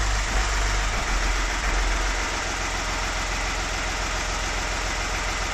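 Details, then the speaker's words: VW Lupo after 1 year 3 months standing, gearbox not yet adjusted: catches after a brief crank and settles into a steady even idle with no knocks or misses, sounding as if stopped yesterday; healthy. "Den lyder jo fuldstændig som om den blev stoppet i går. Ikke så tosset."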